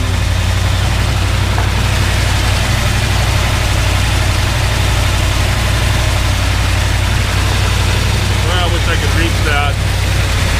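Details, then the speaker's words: 1977 Dodge W100 Power Wagon 440 V8, stored under cover for years, started cold on ether on a cold day; deep, steady V8 idle with even low rumble, no knocks or misses; sounds pretty good, normal idle. "But you can hear it running. Actually sounds pretty good."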